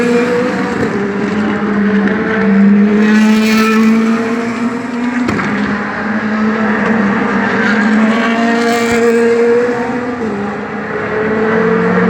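High-revving V8 whose note wavers and stumbles unevenly through the run instead of staying crisp; it sounds like a misfire.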